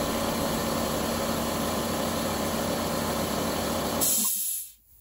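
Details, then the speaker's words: 48-year-old Compak air compressor after overhaul, tank hydrostatically tested to 300 psi: steady, even motor and pump drone for four seconds with no knocks or rattles, pressure gauge rising, then a clean shut-off. Running healthy. "here it is running you can see that gauge came up pretty good too pretty happy with that"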